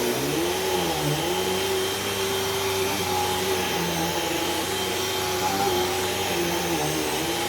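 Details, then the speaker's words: Brand-new Hoover cyclonic vacuum with rewind cord: steady motor roar with a faint wavering squeak; drive belt squealed a little, slight slip, may need changing but shouldn't be too bad. "belt squealed a little bit but shouldn't be too bad might have to change that"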